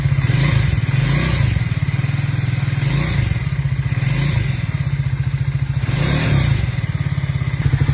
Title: Triumph Speed400 Engine Sound Problem Resolved